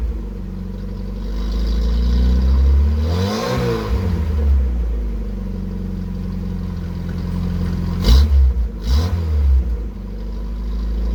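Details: 1981 VW Rabbit with 1.8 swap, after installing 4-2-1 dual downpipe and thrush muffler to fix suspected front manifold leak; deep smooth exhaust drone with two clean throttle blips, no ticking or puffing leaks: healthy exhaust.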